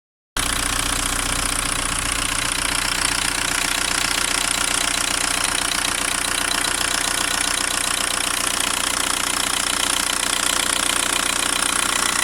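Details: VW Golf 1.9 TDI AHF 110 diesel at idle: sharp, regular ticking or knocking from the upper engine, about three per second and steady; injector or lifter suspected, origin unclear.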